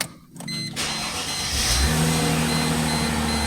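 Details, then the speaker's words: Chrysler Crossfire with an intermittent no-crank, after re-soldering the pins on the relay control module: short starter whirr, then the engine catches into a steady, even idle with no misses or knocks; the fix worked. "yep cool beans all right that fixed our problem uh pretty easy to do"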